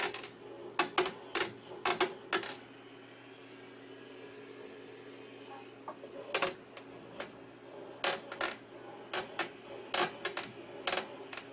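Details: Sharp creaks and clicks in uneven clusters from a Fanatec CSW wheel under heavy left-turn force, not on right turns; the cause was loose allen bolts on the quick-release connectors on the rim and base, and tightening them stopped the creaking.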